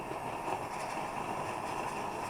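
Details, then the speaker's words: Plumber's pot (smelting stove) burner after preheating the generator: soft, steady, even roar without sputtering or popping; transition from raw fuel burning to vaporized fuel, burner running normally. "Hear that transition? That's not raw fuel burning anymore, that's vapor."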